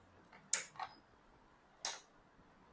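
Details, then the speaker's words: Hero Splendor Plus BS6, 2021 or 2022, won't start by self-start or kick, with engine and neutral lights on; a few switch clicks at key-on, then no fuel pump whir from the tank. Cause may be the pump, wiring or ECM. "Tank से कोई आवाज नहीं आ रही है। जबकि चाबी on करने पर मोटर की आवाज आनी चाहिए। तो इसकी जो फ्यूल पंप की मोटर है वह वर्क नहीं कर रही है।"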